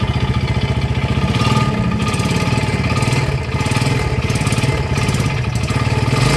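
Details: Yamaha Jupiter Z, before repair, kick-started because the battery seems dead; rough idle with a heavy, regular knock about three to four times a second over the exhaust, no smoke, dry exhaust; worn connecting rod knock.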